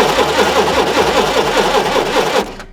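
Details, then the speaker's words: Propane forklift cranking with spark tester on plug lead: steady rhythmic cranking about five turns a second, engine never catches; no spark found, ignition wiring joint being checked. "no spark there kind of check it better The Joint there"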